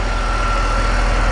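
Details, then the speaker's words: E46 BMW 3-Series with sporadic cold-start misfire, after swapping parts back: steady, even warm idle with a faint constant whine and no missed beats. The misfire seems to go away once the engine warms up; normal idle. "I don't hear the misfires now. So again, I think once this thing starts to warm up, the problem starts to go away."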